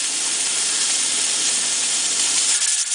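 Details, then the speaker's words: Pressure canner with the weight set to 15 lb, heat cut down to five: loud steam hiss as the weight rattles, slowing toward three to four jiggles a minute, which is normal venting. "so it's still rattling but it's gonna slow down it's going to jiggle between three to four times a minute"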